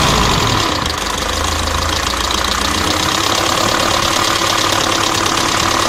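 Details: Mercedes OM601 2.3 diesel idling with an uneven knock over the clatter, roughly three or four per second; engine knock of unknown cause.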